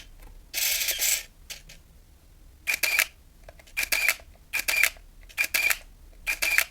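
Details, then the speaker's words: Nikon F801 (N8008) 1988 film camera. Five crisp shutter clicks, each followed by a short buzzing motor wind, about one frame every 0.8 seconds. Normal shutter and motor film advance. "И вот этот звук, он означает, что мало того, что был сделан кадр, за это время еще и перемоталась пленка. Просто великолепный звук, как на мой взгляд."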